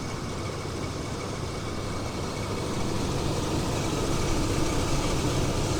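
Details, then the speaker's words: 1998 Chevy S10 with the 4.3 V6 (earlier intake gasket and water pump work), started after a somewhat long crank. A deep, steady idle rumble with an even beat and no knocks or misses. It runs well; the owner suggests it may benefit from a new cap, rotor and spark plugs. "But it does seem to run pretty good. Might benefit from maybe a new cap and rotor. Maybe some spark plugs or something."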